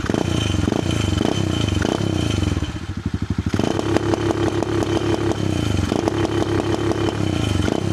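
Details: Amazon pit bike with replacement engine, new adjustable eBay ignition rev limiter and quieter new exhaust, revved toward 4,000-6,000 rpm: revs climb then stutter in rapid, regular on-off crackle as the limiter cuts in.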